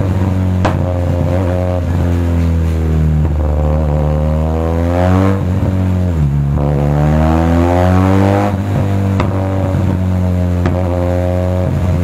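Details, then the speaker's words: Benelli TRK 502 with stock muffler silencer removed: revs rise and fall with sharp pops and cracks on the overrun every few seconds; exhaust backfire, later reduced by air-fuel ratio adjustment. "Okay so problem ni sir meron din siyang backfire backfire yung k kasi wala na nga yung silencer natin stock muffler kaya may putok na pero kaya nating bawasan yan"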